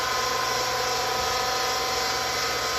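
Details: Vertical well jet pump just after its seals were replaced, mounted higher than the tank, restarted: a steady high motor whir with an airy hissy rush and no water-moving load. Spinning dry, not catching prime.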